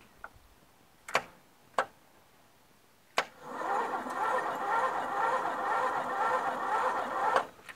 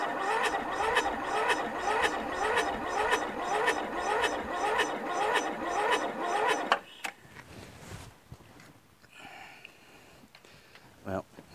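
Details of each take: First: Toro Wheel Horse lawn tractor with a Briggs flathead, new battery, mouse nest in the engine: a few clicks, then about four seconds of slow, even starter cranking; switch, solenoid and starter work, but cranking is slow. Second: Toro Wheel Horse lawn tractor with Briggs 1238XL flathead engine, mouse nest in the engine, new battery, before the magneto and carburetor work: a heavy, dragging crank at about two compressions a second, cranking far too slowly to fire.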